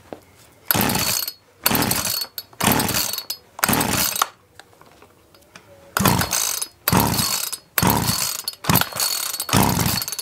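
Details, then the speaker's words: Mac 441 chainsaw, choke open after carb adjustment: repeated one-second rough bursts per pull with silence between, fires then dies; owner suspects fuel trouble. "my have to take it apart see what we've got in here but then I can't read it did fire so I wonder if it can't be a fuel in trouble"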